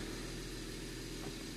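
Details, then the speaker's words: 2010 BMW 135i (N54, MSD81 DME) that sat long and came in as a crank no-start. It now starts but runs poorly, with a lumpy, stumbling idle; misfire on cylinder 3. "It is running poorly. Wow. Alright, so it came up, still absent. Misfire number 3. Well, I mean, it's running."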